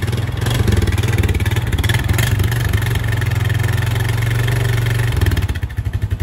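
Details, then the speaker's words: Honda 420 ATV first start after transmission repair, idling to build oil pressure; steady low thumping, much quieter than before, centrifugal clutch engaging and releasing cleanly without hanging up; centrifugal clutch engaging normally. "it's gonna let it idle for a minute let everything gets oil pressure through US yeah it sounds perfect it's a lot less noisy than it was sounds good foreign okay another clutch the centrifugal clutch ain't hanging up"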